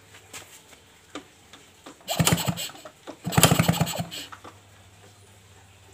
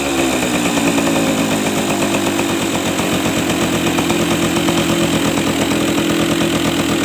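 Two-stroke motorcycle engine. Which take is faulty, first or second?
first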